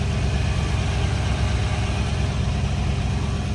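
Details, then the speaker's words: Lexus GX 470 V8 idling with newly installed Magnaflow overland exhaust replacing OEM: deep even steady low rumble, mellow and subtle, not loud, no misses or knocks; healthy. "yeah you can definitely hear it ah just so subtle mhm not loud at all"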